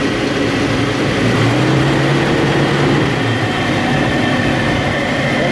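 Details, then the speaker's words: 1968 Mustang with swapped Fox Body fuel-injected 5.0L V8 and glass pack exhaust, in park, after fixing stalling by bypassing 1968 resistor wire for full 12 V; timing and idle not yet set: lumpy V8 idle, loud exhaust rumble, holding steady on its own. "It's running. Oh yeah, there we go. Yo, glass packs don't sound too bad on there."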